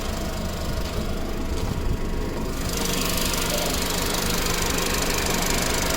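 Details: Audi B7 A4 1.8T, tuned, with metal injector cups, new cam chain tensioner, purge valve and fuel pump, no codes. Fast uneven ticking about three a second only when hot at idle; owner suspects low oil pressure to the tensioner.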